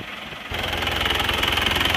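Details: Isuzu Panther diesel after engine overhaul with new custom liners, at warm temperature, thin black exhaust smoke, blow-by cured: steady diesel idle with even, regular clatter, no misses or surges; normal warm idle.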